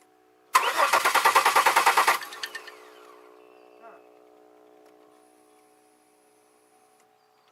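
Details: 2002 Chevy Malibu no-start: even starter cranking about three beats a second, a brief momentary fire, then winds down; spark confirmed, owner suspects fuel side, injectors not firing, possibly pressure regulator; cause unconfirmed.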